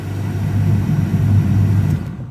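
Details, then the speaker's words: Fiat Doblò with an inoperative HVAC blower, ground injected directly at the blower: steady low whirring hum at full speed, then it cuts off; the blower motor works, and no control signal is reaching it. "okay so if i inject ground over here i should get my phone running full speed"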